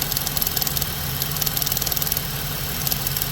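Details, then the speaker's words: 2015 Ford Transit 350 at idle, returned for check engine light after fuel pump repair: fast ticking about four clicks a second from the purge solenoid duty cycle, briefly hanging then resuming; suspected sticking purge solenoid, replacement planned. "see how it's you hear how it's hanging every once in a while so I'm I'm I want to try a new solo CU I'm I'm going to think that that might be the issue"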